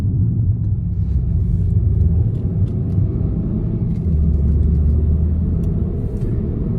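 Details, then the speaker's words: MK6 VW Jetta after replacing a bad cylinder 1 ignition coil (P0301 misfire, EPC light, limp mode): a steady, even low engine rumble while driving normally, with no stumble or shake. "the car is just driving so normally now"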